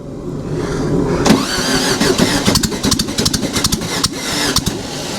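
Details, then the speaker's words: Dune buggy engine, first start: it catches in uneven, stumbling bursts with gaps between firing pulses, one side firing and the other not; misfire, owner suspects a stuck valve or a spark plug wire problem. "now one side firing over here but nothing over there it's kind of weird wonder if we got a valve stuck or something over there"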